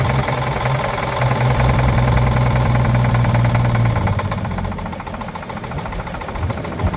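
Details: 1950 Chevrolet 3800 one-ton with Chevy 235 six, abandoned since 1977, rough idle with heavy regular knock about two to three raps per second; full 60% oil additive did not remove it: worn rod bearing knock.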